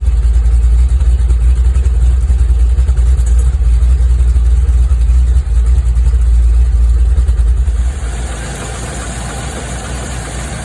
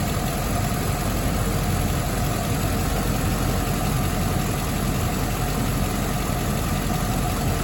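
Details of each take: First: Land Rover Discovery 2 V8 at idle: deep, slightly uneven throb, rough idle from a vacuum leak at a hardened, cracked O-ring at the bottom of the rocker cover, which was replaced. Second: Land Rover Discovery 2 V8 after a rough idle fix: steady, even idle with a smooth low hum and no hunting or stumbling. The bad idle was caused by a vacuum leak, including a hardened, cracked O-ring, which was replaced.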